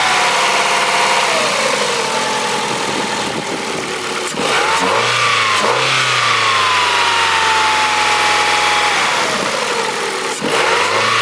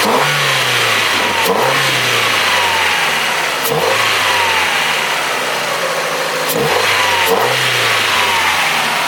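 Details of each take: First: Abandoned Ford after new injectors and throttle body, with belts disconnected: engine revs up and drops back smoothly with no squeal or chirp, intake audibly drawing more air through the filter; earlier noise traced to belt-driven accessory; normal running. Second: Old Ford after new injectors and throttle body, revved repeatedly: loud intake rush through the filter, each rev with a faint hesitation; a little stumble, owner suspects it may just need to adjust.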